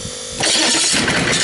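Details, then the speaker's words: Rebuilt Chevy/GMC 6.5L turbo diesel V8, oil line looped back with oil pressure gauge, after glow plug wait: cranks briefly and fires straight into a loud, even clatter holding steady without misses—clean, healthy start. "So okay, let's hear it. Starting the engine, glow plug, 1, 2, 3, 4, 5, 6."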